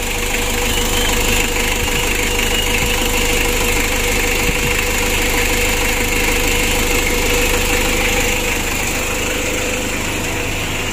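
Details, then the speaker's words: Mitsubishi L300 diesel 2017 after engine rebuild, oil cooler cleaned, oil warning light off: steady diesel clatter at an even idle with no knocks, misses or surging; smooth, healthy engine. "Alhamdulillah untuk suaranya juga bagus teman-teman yang mudah-mudahan aman dan lancar ya"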